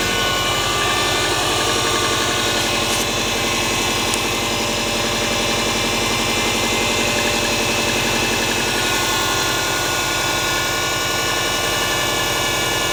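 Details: Subaru EJ20G engine at idle; a fast, fairly even tapping of about three to four knocks per second over the engine note, cause unknown.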